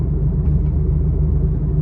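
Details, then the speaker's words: Saturn Vue on test drive: loud low droning growl pulsing wah-wah, a really bad wheel bearing, most likely front. "working on, and I want to use this as an example of what a really bad wheel bearing sounds like. I'm going to try and pinpoint where it's coming from. It's most likely coming from the front,"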